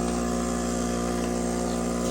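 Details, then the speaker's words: Fluoromizer 3500 refrigerant recovery machine: the compressor runs with an even, steady hum and firm low pulse, drawing about 4.5 A; no knocks, healthy, building good pressure and suction. "hey it works sounds healthy only 4 and 1/2 amps you can hear it vibrating away pumping like a little"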